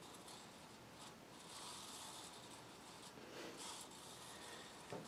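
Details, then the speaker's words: Casablanca California Zephyr ceiling fan running: dry scraping groan with uneven rubbing under the steady spin; worn bearings, flywheel also noticeably warped, needs new bearings. "as you can hear the bearings are moaning and groaning aching and itching making a crap crap load of noise"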